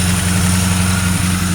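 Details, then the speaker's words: Original 1971 Ford Torino stored 25–30 years, restarted with a flick of the key; slight accelerator-pump seepage; faintly loping low idle already smoothing out and getting better. "It's getting, look at that. It's already getting better."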